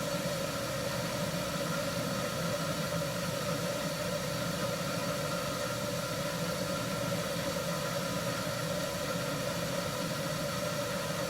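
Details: 1974 HydroTherm gas-fired hydronic boiler, first firing of the season after cleaning: smooth steady burner roar with soft hum, no surging or popping; pipes getting hot, basement warming, running normally.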